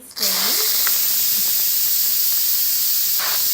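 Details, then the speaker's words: Electric pressure cooker after about 45 minutes under pressure cooking pot roast: strong continuous hiss of steam from the release vent; normal pressure release. "I love how the steam release is way over there and my fingers are way back here. And the steam goes away from me."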